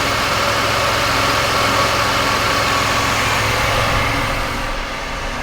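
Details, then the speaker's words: Jeep after power steering pump replacement, with belt and pulleys refitted and the rack cycled to bleed air: an even, steady idle with no knock, whine or squeal, a normal idle. "make sure the belt and pulley around nice well sounds good so far run it through its paces a couple more times and we should be all set"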